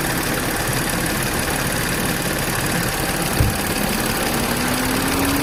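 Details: B8 Audi S4 after upgraded IE high-pressure fuel pump install: steady even idle with smooth hum, no knocks, misses or whine; running cleanly.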